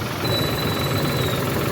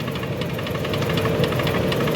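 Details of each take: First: Suzuki Wagon R, previously misfiring, tripping and losing power (scanner codes checked), after injectors were opened and cleaned and the coil reset; smooth even low idle, no stumble, miss or shake, vibration gone; normal idle after repair. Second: Suzuki Wagon R (2015/2017), engine misfiring, losing power on revving and vibrating, scanner codes read; uneven stumbling idle with shaking; parts found oily, to be cleaned; misfire with rough idle.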